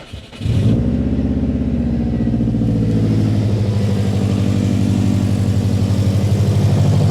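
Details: Subaru Impreza EJ flat-four after timing belt, water pump and radiator replacement, following an O-ring and coolant pipe clip fix that solved both issues. Catches and settles into a steady, even, healthy idle.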